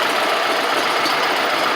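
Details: Gravely 260Z Kohler V-twin after removing the faulty DSAI ignition module: even, steady idle with a constant hiss and no misses or stumbles; throttle plates still off and throttle not yet set; now runs and shuts off on its own.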